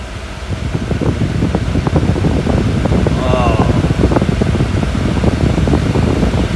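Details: 1964 Ford Country Squire after replacing the underdash HVAC fan switch and a rusted connector: steady, even rush of air from the blower, no squeal or ticking, motor running strong; normal blower operation.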